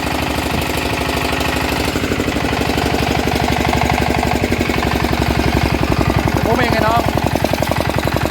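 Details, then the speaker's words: Yanmar 160 single-cylinder diesel after rebuild with new bearings: it starts easily and gives an even, tight thump at roughly 220 beats a minute with no rattle or knock. Bearings quiet; the engine runs healthy. "เสียงก็ประมาณนี้นะครับติดง่ายนะครับเสียงแน่นดีกลัวเงียบนะครับลูกปืนเงียบนะครับ"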